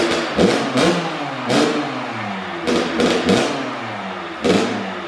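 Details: First-ever start of a brand-new Kawasaki KX112 with a Pro Circuit pipe, R-304 silencer, Boyesen RAD valve, VHM high-compression head and rejetting. Sharp, crisp revs blip up and fall back cleanly, and it catches readily: a healthy two-stroke.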